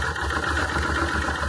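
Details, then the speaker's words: Circa 1996 Honda Transalp carbureted V-twin at idle; closing the air-fuel mixture screw half a turn makes the uneven, stumbling idle worse until it nearly stalls; lean mixture, fixed by opening the screw about one turn. "getting worse. Even stop the engine."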